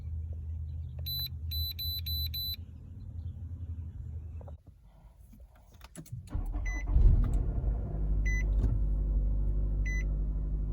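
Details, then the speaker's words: 2014 Nissan Rogue with 49,000 miles, which came in running rough with misfire codes for cylinders 4 and 2, a random-misfire code and lean codes. After the ignition coil and spark plug tune-up it catches after a short pause and settles to a steady, even idle, running good. "go. vehicle runs good."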